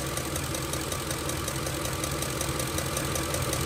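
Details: 2006 Ford F-150 5.4L 3-valve Triton at idle: sharp tick with a leak-like puff and strong raw-fuel smell, pulse felt at cylinder six coil; loose M16 Motorcraft SP-546 spark plug backing out (torque spec 25 ft-lb).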